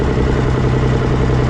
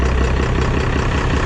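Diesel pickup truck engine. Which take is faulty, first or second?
second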